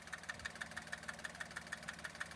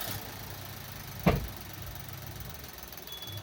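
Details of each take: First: Maruti Suzuki S-Presso at idle with a sharp, regular ticking about six or seven a second from one spot in the engine bay; owner suspects a loose clip, with slight belt noise too; not confirmed. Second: Maruti Suzuki S-Presso, after refitting the air filter housing and clips: low, even idle hum after one brief clack at start-up, no ticking or hissing; the earlier noise, caused by poor airflow into the air filter, is gone; normal idle.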